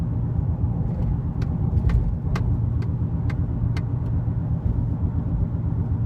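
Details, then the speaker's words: 2006 Chevy Trailblazer driven in the neighborhood, speeding up to about 40 mph; steady low groaning, bumping noise rising with speed, tracking tire speed rather than engine or transmission, with vibration in the steering: worn front wheel bearing. "it's a kind of a grind not grinding but groaning bumping noise as you pick up speed a lot of vibration in the car"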